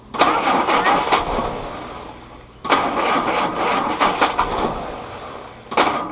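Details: Willys CJ2a Jeep L134 Go Devil four-cylinder with original carburetor refitted: three cranking bursts with uneven pops and catches that never settle into idle; timing suspected, distributor rotated slightly for more consistent firing.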